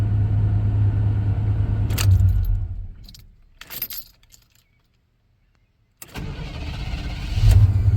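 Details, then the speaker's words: Traded-in truck (2002 Chevrolet Silverado or '90 Silverado) after new fuel lines: engine runs, shuts off, then cranks briefly and fires straight into steady idle; best it has ever cranked, strong healthy start. "This thing has never started this good in ever. Ever. This is the best this thing has ever cranked over since I've been a kid."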